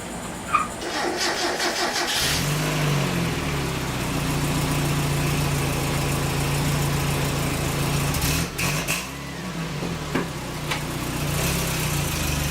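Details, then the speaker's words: Mazda Miata engine in a kart after replacing a plug wire to the coil: cranks and catches after about two seconds, then settles to an even idle with a couple of blips; running on all cylinders again. "so it seems to be running fine now and my tripod is still broke I keep"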